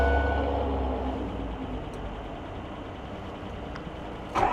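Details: Ford F350 diesel with dealership-installed new engine, cold weather, glow plugs cycled: slow, drawn-out cranking that drags without catching before a rough burst, heavy smoke; hard cold start traced to air in the fuel line.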